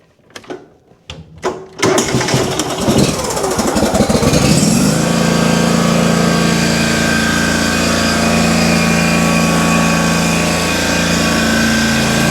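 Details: Kohler engine on a Simplicity Stallion zero-turn, after head gasket and carb rebuild, with new muffler installed: after a few cranks catches and settles into a smooth, even, steady run with no misses; engine healthy.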